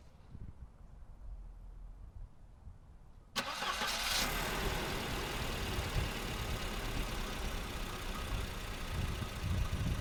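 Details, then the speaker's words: 1986 Volvo 740 after an oil change, with oil refilled to the correct level: quick start into a steady, even idle with no tapping or knocking. Normal start and idle. "now we're gonna start her up and see what you sounds like"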